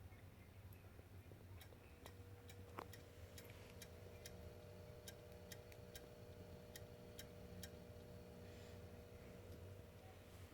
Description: When I start the Xbox One, it makes a series of clicking noises and will not load beyond the green screen.